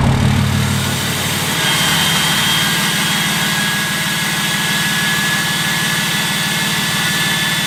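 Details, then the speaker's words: Idling diesel with exhaust brake on: steady idle clatter with a high, airy whistle as exhaust flow is choked, loading the engine so it warms faster; normal exhaust brake and turbo. "you can really hear the air struggling to get out of the engine and that's the whistling and what that does as an idol is it puts a little bit of load on the engine which warms it up faster"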